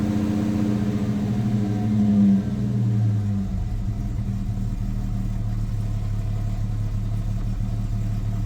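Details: Ford Maverick (GQ) after new spark plugs, 9mm leads and distributor cap: cold start on choke, catches, flares briefly, then settles into a steady even low idle with no misses or knocks.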